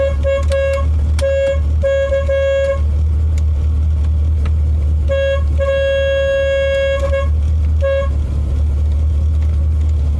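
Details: 1987 Chevy Corvette C4: repeated short honks on one thin high note with no lower tone, only one horn working; the dead low-note horn is shorted internally, while the working one is cool.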